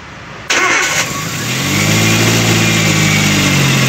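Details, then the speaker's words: Chevrolet Spark after head gasket replacement and timing job, before coolant fill with one hose off: brief crank, catches cleanly into smooth even idle that climbs slightly, no knocks or misses; healthy start. "देखो दोस्तों, गाड़ी चल रही है।"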